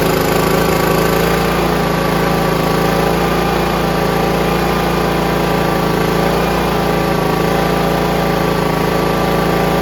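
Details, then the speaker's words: John Deere RX75 rear-engine riding mower after an ignition switch modification and new fuel line, on its first start after reassembly: a steady, even low idle with no misses or surging; normal idle. "wow that sounds great that's the lowest Idol right there that sounds great you don't need a car clean now sounds fantastic"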